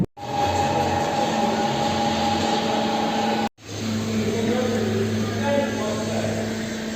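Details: 2018 Kia Rio at about 60 km/h: steady low drone under road noise from a worn front hub bearing, which had covered only 3,000 km; removed bearing turns tight and feels obstructed.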